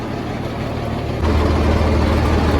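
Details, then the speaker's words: Engine-driven air compressor after repairing a leaking compressor line: the engine runs at steady idle, growing a little louder as load changes, with no hiss. After a 5-minute run the system holds just under 120 psi, sealed with no leaks. "okay she's holding just under 120 lb 5 minute engine run just to get it to pressure"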